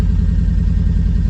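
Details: Triumph Spitfire with the distributor points gap set by eye, gear stick shaking: a low, pulsing idle with an uneven throb several times a second. Rough idle, cause unconfirmed; the owner suspects a wrong points gap, and it later ran sweetly warm with the choke closed.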